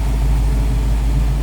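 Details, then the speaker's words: 1967 Pontiac Firebird convertible V8 with Edelbrock intake, four-barrel carburetor, HEI ignition and newer alternator, idling: a deep, even burble with no misses, ticks or knocks; it runs smooth and sounds good. "Running smooth, sounds good. It's like a newer alternator"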